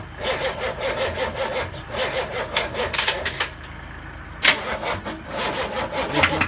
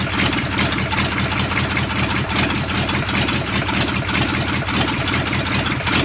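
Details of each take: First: Land Rover Defender V8 conversion, first start attempt with no exhaust and no coolant: the starter cranks in steady rhythmic pulses but the engine never fires. It is not sucking fuel, so fuel starvation; the electric fuel pump is run to prime it. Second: Land Rover Defender V8 conversion, first start from cold, dry-fired with no exhaust and no coolant fitted: lumpy crackling V8 burble, even firing with crisp pops and flames; healthy engine, normal running.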